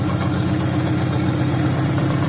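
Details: 2004 Subaru Impreza idling after engine re-assembly with a JB Weld-repaired stud, coolant being burped with some debris, probably from old radiator and block: smooth steady low hum, no knocks, misses or ticks; healthy.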